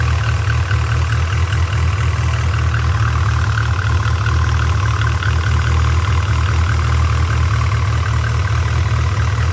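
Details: Nissan SR20DET: steady low idle with a faint, fast, irregular high chirp riding over it, roughly two per second; source of the chirp unknown.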